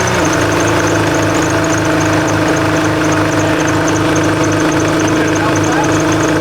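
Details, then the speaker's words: Nissan GU Patrol ZD30 diesel with an Eaton M90 supercharger fitted, cold idle at 1–2 psi boost: a steady high chirping squeal over a rough idle; a slipping belt is suspected, possibly the supercharger belt, not confirmed. "I think we might have to tighten the belt. I can hear it squealing."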